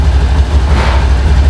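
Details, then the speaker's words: Honda Beat Street scooter at about 30,000 km, just after DIY oil change, engine warming to circulate oil: even low putter at steady idle, no misses or knocks; idle smoother than before. "Nah, suara mesinnya udah mulai itu ya, halus ya, langsam halus. Nah, kelihatan langsam ya daripada yang awal."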